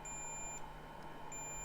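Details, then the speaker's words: PS5 with no lights, multimeter in continuity mode on fuse F701 (possibly 5 V line): steady high continuity beep with a short break; fuse line shorted to ground. "f701 is shorted so there's our problem huh okay let's figure out what's shorted"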